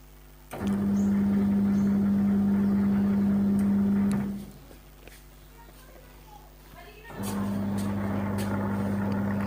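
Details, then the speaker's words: Old analog Samsung washing machine, previously dead with neither washer nor spinner motor working, now running with a separately connected capacitor: the washer motor gives a steady low hum that cuts out briefly and resumes cleanly, running normally. "देखो दोस्तों, machine washer side हम अब खुल गए हैं। मैंने यह कर लिया है और यहाँ वॉशर मोटर चल रही है।"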